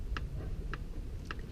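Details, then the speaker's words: Mitsubishi Eclipse GSX engine, 30k miles at 387hp, on a stand during teardown. Crank turned slowly by hand gives one sharp knock about every half second, once per turn. Play is felt, and the diagnosis is a rod knock. "I can hear it now there's my noise alright diagnosis confirmed Rob knock"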